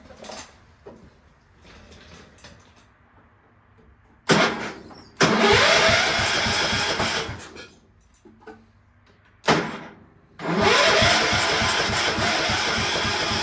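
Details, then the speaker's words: Cub Cadet 1250 engine, unrun for seven years, after its saturated plug was heated with a torch: it catches and runs rough a few seconds, then dies; starts then stalls at low throttle, and the owner notes it seems to like some throttle. "now it like to take off but then it shuts off I don't know"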